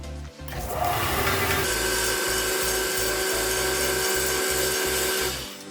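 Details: Combined belt and disc bench sander after overhaul with axial play shimmed, belt fitted and being centred: steady even motor hum with light sanding hiss and soft pulse, no rattle or knock; normal running.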